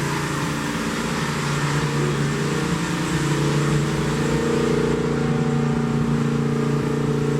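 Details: 1972 Plymouth Roadrunner 383 Magnum V8 with stock/RV-grind cam, break-in run (~11 minutes total) after 15+ months unrun: even, steady burble at fast idle, deep firing note, no knocks or misses; normal fast idle.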